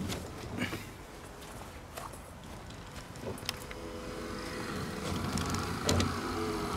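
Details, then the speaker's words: 2013 Scion FR-S at almost 200k, wipers on the normal (low) speed: a slow, laboring groan that goes away on high. The wipers are lubricated but still slow; this started the night before. The wiper motor is being replaced. "then when i put on high that groaning noise goes away that's normal this is too slow this is my normal speed but this is too slow for the normal speed and you see it's laboring it's groaning"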